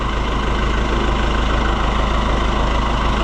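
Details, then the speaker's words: Oliver 1365 (Fiat 640) tractor diesel after fuel filter leak repair, grille back on: steady, even clatter at constant idle, no stumbles or knocks; idling cleanly and healthy. "What a sweetheart. I could listen to it all day."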